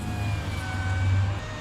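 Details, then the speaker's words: Toyota Highlander after replacing the window motor regulator assembly, window rolled up and down slowly: steady, even motor hum with faint constant whir, no catching, grinding or binding; normal power window motor operation. "Listen to it and make sure it's running smooth. Not binding or anything. Sounds good."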